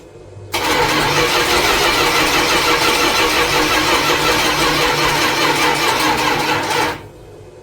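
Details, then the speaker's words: General Lee car after years of restoration, no fuel tank yet, with gas fed to the carb through a hose from a can: about six seconds of steady loud starter cranking that never catches: crank no start. "that was disappointing."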